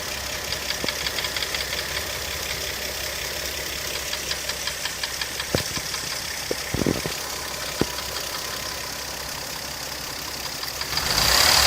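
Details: 1995 KL 2.5 V6 at quiet idle: light, regular ticking about four per second from the right cylinder head; top-end valve-train tapping that does not affect performance.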